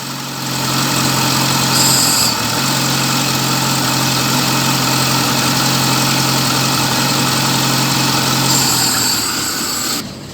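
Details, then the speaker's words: VAZ 2111 with check-engine light on: idle stumbles and shakes unevenly at roughly four beats a second; diagnostics show a camshaft position sensor fault, misfire attributed to that sensor, to be replaced. "бачите бігає нестабільної оби бачите дві Це яка тряска"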